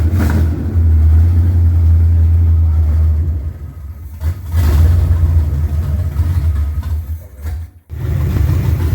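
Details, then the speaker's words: Junkyard Chevy Nova V8 first running after rescue, at night, after a leaking line was cut: deep rumble with an uneven loping beat about four times a second when revved, one cylinder seemingly dead; running on seven cylinders, misfire. "we made smoke and the engine runs yeah yeah it actually runs real good for seven cylinders"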